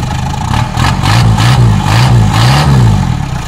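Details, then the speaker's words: Isuzu P'up turbo diesel four-cylinder mini truck, first run after 28 years sitting, on parts-washer fluid: steady low diesel idle with even beat and clatter, no stumble or hunting; normal idle. "is it idling it's iding where else do you guys get to see it huh"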